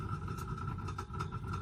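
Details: Chevrolet heater blower running on high speed with resistor connected: steady high whine with quick fluttering pulse over fan rush; owner thinks the motor is noisy and due for replacement, third speed barely turns.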